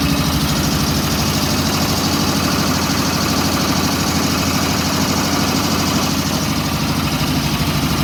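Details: WW2 Ingersoll Rand ship service air compressor built 1943, in B4 engine room of USS Stewart DE-238: steady low chugging about two and a half beats a second, even and unbroken, running smoothly.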